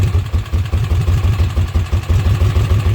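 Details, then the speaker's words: Kawasaki Mule after replacing a failed leaking oil seal: low, lumpy idle with uneven pulses that stumble and surge; running on its own but roughly, no oil leak. "But it's idling on its own. Not great, but it is idling."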